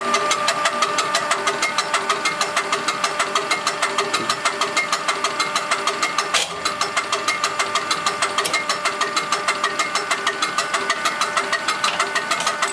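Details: Diesel engine with a UTN-4 injection pump, tested after pump repair and adjustment. Steady idle with a clean, evenly spaced ticking rhythm that never stumbles or changes pace; running normally.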